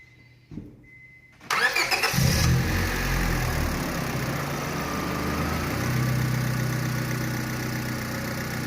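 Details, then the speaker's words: 2003 Honda Civic after swapping in a used power steering pump: engine cranks, catches and settles to a steady idle with a faint high whine; whine at idle, suspected power steering pump. "as the engine heats up this noise is gonna get louder and louder"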